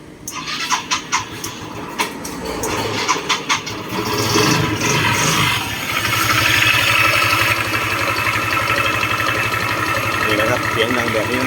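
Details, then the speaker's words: Yamaha Mio 125 i fuel-injected scooter that won't accelerate properly, run with the CVT cover removed: a busy metallic rattle at idle from the front variator pulley, which was found loose; fixed by replacing the pulley set. ">>น่าจะมีเสียงดังบริเวณไอ้เจ้าชุดชามสไลด์ตรงนี้นะครับผมนี่ชามหน้านะครับ"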